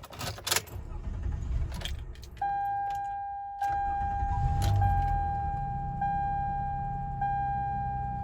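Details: 2004 Toyota Sienna after replacing the faulty cylinder 6 fuel injector (P0306, earlier P0305 misfire): keys rattle, chime sounds, then engine starts and settles into an even, smooth idle with no stumble.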